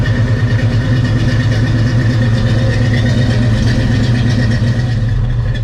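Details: Barn-find 1971 Pontiac Formula V8: deep, steady burble with an even, unbroken rhythm and no knocks or misses; smooth, healthy normal idle.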